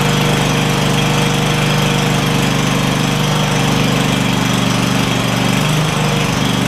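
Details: Craftsman DYS4500 Kohler Courage V-twin after swapping the 12V ignition module for traditional coils, with a new spark plug on one side: an even, steady beat with no misses or surging; both cylinders fire and it runs smoothly.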